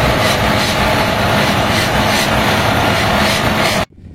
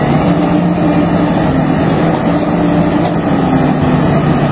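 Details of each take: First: HB365 with an EGR-type turbocharger at high idle; loud steady roar with a harsh scraping rush over it. Severe turbocharger rubbing. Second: HB365 turbodiesel with EGR, after repair of a turbo rubbing noise that appeared at high idle: steady, even diesel drone with no scraping or rubbing; normal turbocharged diesel running.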